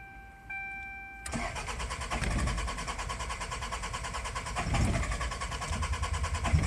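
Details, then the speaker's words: 1992 Toyota Celica GT, 3S-FE engine with 5S-FE parts, new plugs, wires, cap, rotor, battery; weak spark reported: starter spins evenly and briskly with throttle applied, never fires; crank no start, cause unconfirmed. "And I get it. I'm giving it some gas right there, and it still doesn't do jack squat. It wants to go, but it's not going to go."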